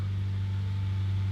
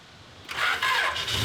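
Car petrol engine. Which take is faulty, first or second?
first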